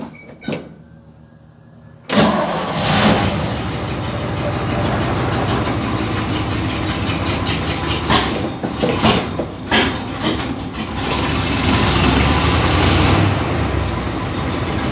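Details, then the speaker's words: 1964 Chevy C10 with flat-tappet cam, just after oil change to 15W-40 diesel oil for ZDDP: catches after short crank, settles to steady even idle with brief bumps. "But it sounds like it's happy with this oil. So, I'm hoping that the flat tapets are a bit happier."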